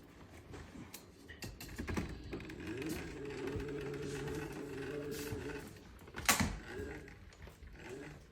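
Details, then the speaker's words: Wheelchair of a paralyzed user turning slowly: low droning metal-on-metal grind with scattered clicks and a sharp knock; the broken chair won't turn left as it normally does. "It's just like I hear when I try to turn really slow, it's like you just hear the metal grinding on it. See, normally you can just turn to the left, but it won't let me."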